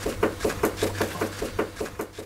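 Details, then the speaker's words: Renault Clio 2, inner axial tie rod rocked by hand after the outer tie rod end was found good: sharp hollow clunks about four per second from play in the worn inner tie rod, confirmed for replacement. "Et là je confirme à nouveau que c'est la biellette axiale qui est à remplacer. Regardez je la prends ici, écoutez j'ai du jeu."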